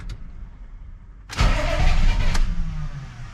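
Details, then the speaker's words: Chevy C20 6.2L diesel with DB2 injection pump, just after fuel cut-off solenoid replacement with glow plugs cycled: starter churns about a second then drops off without catching, crank-no-start, owner suspects air in fuel since cover was removed. "oh that's embarrassing one more try it's probably a little bit of air in there since we took the cover"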